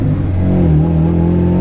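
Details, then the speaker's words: Turbo Honda Integra, driven to check earlier gearbox whine and gears popping out: a faint whine rises and falls with revs in first gear; second whines less than before. Owner fears the transmission may need pulling; cause not confirmed. "it still does whine. It still does whine a little bit."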